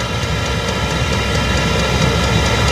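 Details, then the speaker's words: Chinese diesel heater on a 12 V battery in a greenhouse, gathering speed while warming up: a steady rushing fan with the fuel pump's light, regular clicking on top. Normal running. "now it's uh really gathering speed you can tell how quick it is you can hear that clicking that's that's your pump"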